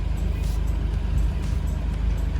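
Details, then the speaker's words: Toyota Land Cruiser FJ62 fuel-injected six, first start after long storage with fresh gas and new battery: steady even low rumble, no knocks or misses; smooth quiet healthy idle. "This motor sounds really good! Check it out!"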